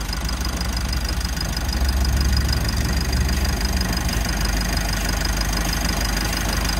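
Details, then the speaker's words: Mitsubishi L300 FB van at idle with a newly replaced, leaking compressor on a converted bracket: constant harsh hum with a thin high ring as it labours against high pressure from an undersized condenser; condenser needs replacing or adding. "Ito nga po yung condenser niya. Yan talaga pong maliit' pag nagpalit tayo ng compressor either magpalit tayo nito o magdagdag yan."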